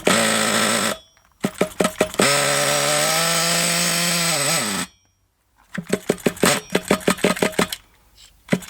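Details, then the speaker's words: Thunder Tiger EB4 S2 Pro nitro RC buggy engine, hot, with reasonable compression, test run: a high, buzzy scream climbing in pitch, then short stuttering bursts as the nitro fuel runs low; otherwise it sounds healthy. "Jesus might not have a good supply of um Nitro it sounded good though that sounded good didn't it that run"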